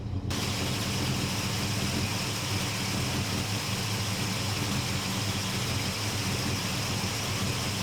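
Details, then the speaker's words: 1972 Chevrolet C10 V8 carburettor with a Carb Cheater, auto-tune switched on while reading rich: steady, even idle held noticeably higher, valve bleeding air with a vacuum noise; raised idle. "I don't know what any of this means, but you can definitely hear that the truck is idled up."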